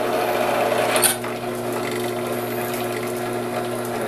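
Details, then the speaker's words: Drilling a DIY hotend heater barrel/nozzle with cutting oil: a steady machining drone with a brief sharp crackle; that popping means the bit is overloaded and about to break. "see, hear that popping noise? That's when you're about to break this."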